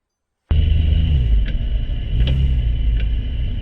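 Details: Porsche 996 Turbo Tiptronic (722.6 transmission) with a sharp click repeating about every three-quarters of a second over a deep, steady engine rumble; the cause of the rhythmic clicking is unknown.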